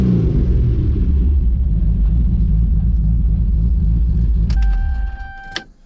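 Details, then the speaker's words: Built 2JZ-GTE in a 1995 Supra, after a faulty part was found and fixed, with a full exhaust and new mid pipe. A deep, steady idle rumble with an even exhaust beat, no knocks or ticks, then a brief chime; healthy idle with good oil pressure. "Oh yeah, listen to that. It actually sounds like a 2J now. I'm digging it."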